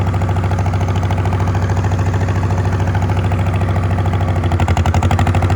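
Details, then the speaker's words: Old Farmall H gasoline tractor idles low and lumpy with dropped firing strokes; exhaust pops randomly on a driveway run. The owner suspects it is down on some cylinders and lacking power, possibly from bent pushrods or stuck valves, and will pull the valve cover. "It's idling now. Well, it does not have the power it should. I think it's down on some cylinders."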